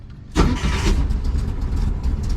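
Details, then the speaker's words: 2010 Ford Escape with a no-start and slow cranking, after a new battery is fitted: engine turns over briefly, catches almost at once and settles into an even idle. Normal, strong cranking and start. "so new battery in there way better than what it was [Music] right up pale cranking power perfect do it again"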